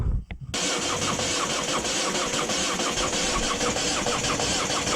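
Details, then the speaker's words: 2010 Ford Focus 1.6 TDCi diesel cranks steadily in rapid beats for several seconds with no firing after starter replacement and with a weak battery; cranked on and off for an hour without starting, computer diagnosis planned. "we kept cranking like for one hour straight on and off on and off it wouldn't start"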